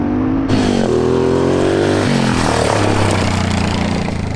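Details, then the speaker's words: 1987 Honda Fat Cat single-cylinder trail bike, revived after at least 15 years sitting, ridden with the choke accidentally left on: uneven revs hunting between speeds with a labored tone, running rich. Fuel was also flowing from the carb overflow; a float adjustment is suspected. "I completely forgot about the choke and it was running like total garbage."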